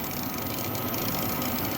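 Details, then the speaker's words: Lab pump in a physics laser setup, running on a makeshift supply after its power supply was ripped out, gives a constant harsh buzzing rattle over a steady drone and a bad smell; abnormal pump noise, cause unknown. "okay so it's running uh but it's making a noise I"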